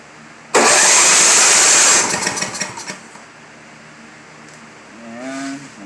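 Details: Simplicity 7524I snow blower with a Briggs & Stratton 7.5 hp engine that would not stay running, on electric start with choke on; the starter grinds and the engine fires briefly with ragged beats, then dies. Clogged carburetor jets.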